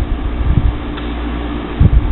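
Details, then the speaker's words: Old window air conditioner after cleaning the fins and reassembly: steady low hum with a light fan whoosh and a few faint rattles from loose debris up front; the earlier loud racket is gone and it runs evenly. "It's not making that loud racket anymore. There's still some loose debris in there a little bit that you can hear up front in here."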